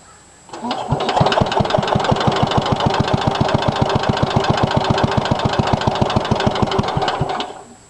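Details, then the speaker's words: 1963 Cub Cadet original single-cylinder engine, cold start after fixing a grounded points wire, idles with a loud sharp knock on every firing; oil showed metal flakes, owner suspects bad head gasket and says engine needs rebuild. "there she is knocking in all her glory got a bad head gasket"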